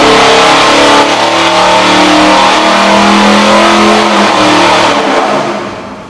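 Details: 1967 Pontiac GTO 400 cu in engine, basically stock, flat-tappet cam already broken in, rated over 430 lb-ft and 325 hp, on a dyno under full load: loud, smooth, hard-pulling V8 roar held steady, then easing off; healthy engine.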